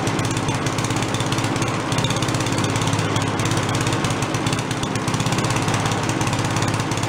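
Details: Giant Vac walk-behind leaf blower, primed, first run: loud even high-revving two-stroke buzz held at full throttle without stumbling; runs properly but the carb has no idle circuit.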